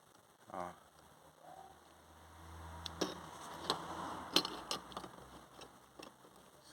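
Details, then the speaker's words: Truck clutch release bearing, reconditioned unit compared with a new one, shaken by hand: sharp uneven metallic clacks with something loose inside, possibly a broken lock; new bearing silent; loose internal rattle. "tá solto ó se dá para tu ver aqui eu tô confirmando com a mão"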